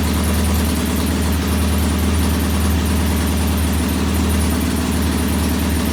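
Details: Norton P11 vintage British twin at first kick-start after a full carburettor strip and fresh gas: low, lumpy idle with uneven beats, one cylinder lazy; its pilot jet isn't following adjustment like the other side's, to be cleaned again.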